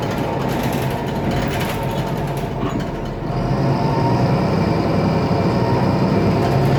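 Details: IETT Mercedes-Benz Citaro O530 city bus M2368, 2007, OM906LA Euro 3 turbo diesel, ZF Ecomat 6HP502C automatic, under way: loud diesel drone with faint steady whine and uneven rattling; faulty turbo and noisy part.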